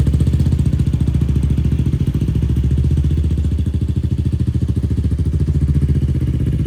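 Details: 2004 Yamaha YFZ450 quad after sitting, carburetor cleaned for a clogged pilot jet and new ignition fitted, on a freshly hooked-up battery: single-cylinder running steady with even, regular firing pulse, no knocks or misses; fan kicks on, not overheating. Normal running.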